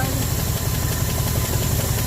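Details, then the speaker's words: 1974 Ford F100 parked 21 years with a formerly locked-up engine, earlier running on seven cylinders; two vacuum leaks capped, one still open. Lumpy, uneven low idle with a pulsing beat that won't settle: rough idle from vacuum leak. "I kept off two vacuum leaks whether that's enough to help it I don't know I still got one"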